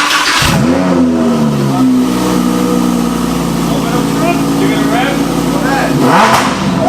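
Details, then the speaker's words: 2018 Lamborghini Huracan Performante Spyder, Copart wreck being rebuilt: V10 revved for the first time since purchase, sharp clean blips rising and falling quickly with steady idle between, no misses or knocks; revs freely and evenly, healthy. "yeah so let's throw some cooling in so I can do some more revs because I really want to hear it I haven't heard that yet"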